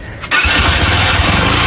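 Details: Yamaha Factor motorcycle brought in for heavy engine noise: a quick catch on the starter, then an even, steady single-cylinder beat with no knocks or rattles, a healthy start.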